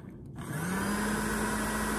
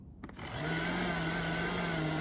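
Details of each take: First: Popper coffee roaster, known-good unit, fan motor on low speed: it spins up within half a second to a strong, steady, even hum of constant pitch. Normal fan motor, unlike the defective units whose fans struggle and stop. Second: Popper coffee roaster with a manufacturing-defect fan motor that fails after about 30–80 roasts: the low fan hum wavers and sags unevenly, then the fan stalls and stops, though it spins again when hit; failing fan motor.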